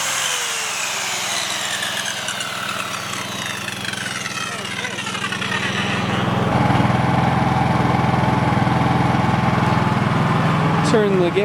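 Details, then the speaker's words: Dad's Honda 3000 generator after service, which reportedly used to bog down and die under heavy load, powering a skill saw: runs steady, then picks up and holds its speed under the saw load with no bogging or stalling; healthy. "so tomorrow i'm gonna do a real test and have it running while hooking up a 1500 watt heater but i really do think that this thing seems to be running really nice"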